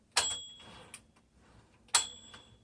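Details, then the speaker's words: 1960s Smith Corona Classic 12 manual typewriter: two sharp carriage clacks about two seconds apart, each with a clear bright ring; carriage and margin bell working normally. "So you can hear the bell on that."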